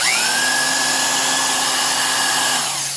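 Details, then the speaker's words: 1970s Craftsman Commercial 1/2-inch corded variable-speed impact wrench running free: a steady motor whine spins up and coasts down, fairly smooth, lower-toned and not harsh, modest airflow, like an old vacuum motor; normal motor run. "not a ton of air flow but not very noisy when it's just running it's just like a an old school Royal vacuum and there is something to be said about that the kind of lower tone not quite as high pitched Motors or just uh a lot easier on the ears"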